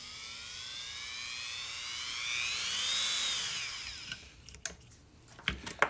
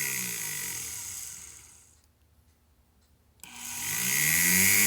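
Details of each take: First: Dremel rotary carving tool run at low speed through a variac: even motor whine rising and easing as speed is turned, no surging, then stopping amid handling clicks; normal low-speed running. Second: Brushed-motor power carving tool on a fan/dimmer switch speed control: high motor whine winds down and nearly drops out then spins back up fast; won't run at low speed on the dimmer, this is about the slowest it runs.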